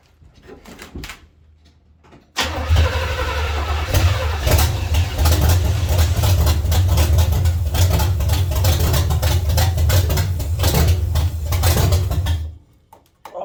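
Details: 1970 Chevy C10 305 V8 with a new intake and carburetor: it catches and settles into an uneven, stumbling, loping idle of about three to four beats a second. The misfire came from the distributor cap's center button breaking and falling out.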